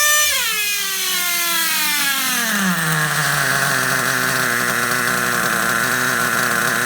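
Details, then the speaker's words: Vintage Traxxas Rustler nitro RC engine, first start in 1.5 years, idle turned up: buzzy engine falls in pitch into a steady high idle, a bit soft and burbly; still slightly rich, to be leaned out. "Now, still sounds like it could be slightly rich. Just lean it out just a little bit and let's see what happens."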